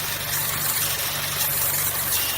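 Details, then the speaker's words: 2013 Chevy Cruze 1.4L turbo, codes P0171 and P1101: rough idle with strong steady airy hiss, air sucking in at the failed PCV valve in the valve cover; fix is replacing the valve cover assembly. "It's running really rough at idle. I can also hear a hissing sound."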